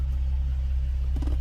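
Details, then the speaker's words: Infiniti G37/G35/Q40 after replacing the engine cooling fan module; engine idling with AC off gives a quiet, smooth low rumble with no fan roar. The fan now stays off until the engine gets hot, as it should. "see you don't hear nothing hear that nice and quiet it should turn on when it should turn on"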